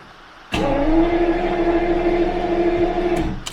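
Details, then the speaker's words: Jaguar V12 in winter storage, last run about six weeks earlier, cranked for monthly warm-up: steady starter whine and even turning-over beat for about three seconds, never catches; has spark and fuel smell, owner suspects something disconnected; crank no start. "I did a quick test off camera and it has spark I can smell fuel so really strange this car has never not started for me"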